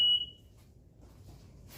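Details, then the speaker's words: Ryobi RM300E riding lawn mower converted to a 48V 30Ah LiFePO4 battery, powered up via the Anderson connector with the stock sensor port still connected: a single sharp high-pitched beep, the seat safety switch warning because nobody is seated. "So it's beeping because of the seat thing."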